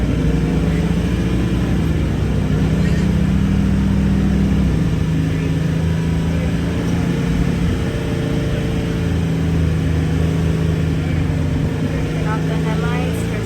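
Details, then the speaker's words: Scion FR-S engine held at 2,000–3,500 rpm during an Innova 5610 scanner alternator test, with parking brake and headlights on: a smooth, even drone with no knocks or whine. The alternator passed and the two-year-old Duralast battery is fully charged. "Alternator status is good. Battery is fully charged and the alternator passed the test."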